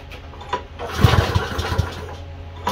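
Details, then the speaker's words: Troy-Bilt mower: brief rough catch of low thumping firing, then steady low drone; engine starts and runs normally, though drive system fails, drive belt apparently off. "that's okay we know it runs that was the main part work"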